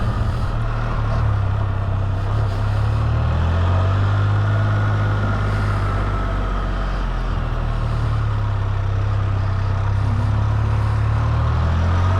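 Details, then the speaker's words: Can-Am Spyder F3-T after repair, test ride: smooth steady engine drone rising and falling with a faint whir from the gears driving the pumps, louder than on RT models, nothing knocking; normal. "Sure hear the motors more on a F3 than you do the RTs, especially all the gears driving those pumps and whatnot over there."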